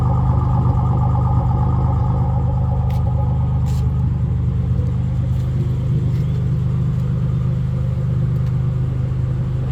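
Deep uneven rumble at idle with a lumpy, irregular beat that stumbles now and then, pointing to a cylinder misfiring.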